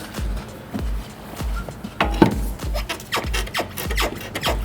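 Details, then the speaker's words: Ford Fiesta rear trailing arm bush levered with a bar: repeated creaky squeaks from a worn bush with excessive play; customer complains of squeaking and knocking over bumps while driving; both bushes gone, to be replaced. "hear that squeaking it's got excessive play in it and the customers complaining about the noise when he's driving up up the road"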